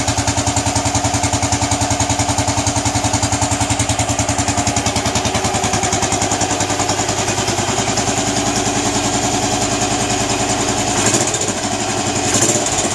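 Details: Royal Enfield Bullet 500 cast-iron engine: slow, even single-cylinder thump at idle, about three and a half beats a second, steady; healthy idle.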